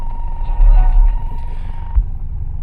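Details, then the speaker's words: Car audio: steady high alternator whine over the highs and mids, dropping out and returning as a wire touches ground, reduced but still present; whine from bad ground, grounding nearest the radio fixes it. "so now I'm going to use this wire I'm going to touch the ground it calmed it down a lot but you can still hear it"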